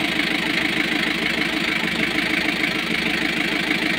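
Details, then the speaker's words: Newly overhauled Kia KC2700 diesel that had hard, slow cranking: idle clatter with an uneven beat that stumbles and surges. Misfire and hunting idle persist; a fuel supply fault is suspected and the injection pump strainer is to be checked. "So meron pa din. Namamalya pa rin siya. Ayan oh. Humihinga-hinga pa din siya no. Meron pa rin oh."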